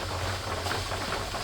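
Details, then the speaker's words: Presto pressure canner processing raw-pack carrots, pressure building toward the weight's jiggle: a steady, even hiss of venting steam, normal venting. "oh can you hear it hissing that jiggle is going to happen very"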